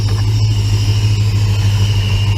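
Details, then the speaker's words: 1966 Plymouth Belvedere 440 Mopar V8 after FiTech EFI install, idle coming down after high first start: smooth, steady low idle with an even beat, no ticks, stumbles or misfires. "oh there we go okay what's that idols down"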